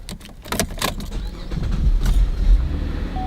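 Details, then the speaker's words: Volkswagen GTI with carbon buildup and rich fuel codes despite new fuel pressure regulator, owner reports cold-start hesitation: engine catches and settles into a smooth, even rumble; normal start. "Sounds okay. But he did mention that when he starts it up cold, sometimes it hesitates a little while."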